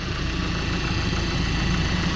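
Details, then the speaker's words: VW Golf with freshly fitted secondhand engine idling, cap off while coolant bleeds: smooth, even idle with steady low hum and no knocks, misses or rattles; running healthy. "dude it's running it's running i'm so happy i jumped"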